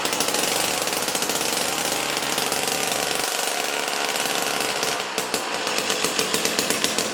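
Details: Jiffy Stealth STX 10-inch ice auger, 3 hp Tecumseh two-stroke, after fresh 91 non-ethanol fuel, started on choke: loud raspy buzz at high revs, fast even firing, no misses; running good.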